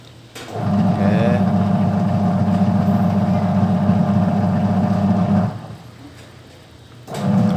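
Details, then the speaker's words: Sharp single-tub automatic washing machine converted to manual, timer turned by hand, wiring not yet insulated: even motor hum about five seconds, short pause, restarts as pulsator reverses back and forth; agitation works properly. "Hai itu udah mau teman-teman ya pokoknya harus bolak-balik ya"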